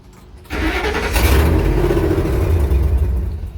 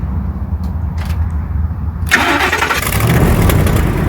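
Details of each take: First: 1954 International pickup, instrument cluster unplugged (passive anti-theft system involved): engine cranks, catches, runs rough a few seconds then dies repeatedly; owner first suspected fuel pressure, but it starts and idles once the cluster is plugged back in. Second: 1954 International pickup after re-seating a sideways triggered switch in the wiring: brief cranking, then the engine catches and settles into a steady, even low rumble; clean start.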